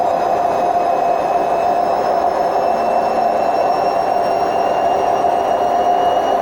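Loud continuous roar with a steady whine on top throughout the spin; worn drum bearings rumbling at high speed.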